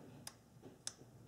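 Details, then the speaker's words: EGR control solenoid valve (P1400) from a 1997 Nissan Maxima, bench-tested on a battery: sharp crisp clicks roughly every 0.6 seconds as the plunger snaps cleanly, so the valve is working correctly. "this valve is working correctly if you don't hear the plunger move inside this body then the valve is bad"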